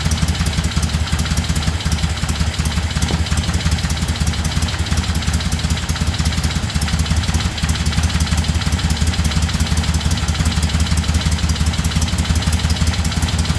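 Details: 1975 Moto Guzzi twin after restoration, cold at about 40 degrees on choke: even, loping low thump at steady idle, no ticks or misfires; vibration loosened the mirrors. Normal idle.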